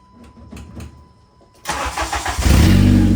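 Brief cranking, then the engine catches at once and revs up cleanly into a strong, steady run; it starts and runs healthy.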